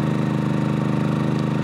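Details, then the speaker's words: Generator powering an RV air conditioner fitted with a Supco SPP6 hard start capacitor, compressor just kicked in: even, steady pulsing drone slightly above idle speed with no hunting or bogging; normal running under load. "you heard the compressor kick in and it seems to be doing really fine it's not at full rpm slightly above its typical idle speed"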